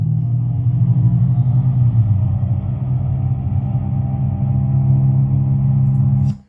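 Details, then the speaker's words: Example of a roaring wheel bearing while cruising, in a 2012–2018 Ford Focus roaring-noise diagnosis: steady low droning roar at an even pitch with no knocking. "that is what a roaring wheel bearing sounds like"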